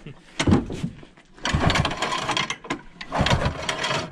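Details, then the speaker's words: Early-1970s Rupp snowmobile, being revived, cold engine recoil-started: three hard pulls, each with rhythmic chuffing as the piston pushes against compression; good compression on pull-start. "So she got compression."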